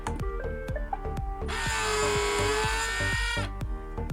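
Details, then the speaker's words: Remanufactured iRobot Roomba 560 robot vacuum: after clicks, a shrill steady squeal rises and holds about two seconds from the bin's suction motor, whose dry, dirty shaft bearing is not oiled; fix is cleaning and oiling the motor. "this is not the healthiest sound my friend from this skirt had the same problem with his 770 and i'll show now why the rumba ski is doing that what's doing that and how to fix it so let's go the thing is that it's the motor from the from the suction motor from the bin is not oiled"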